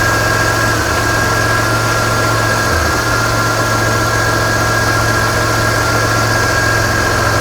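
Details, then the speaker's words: Chrysler/Dodge/Mitsubishi 2.5L with misfire, pinging, stalling and P0171 lean code (not a fuel problem): steady idle with a clear stumble near three seconds as the crank sensor signal drops out; misfire from faulty crank sensor signal, not wiring. "this is absolutely not gonna be a wiring problem this is what it shouldn't look like there was a drop you can hear the miss watch the screen"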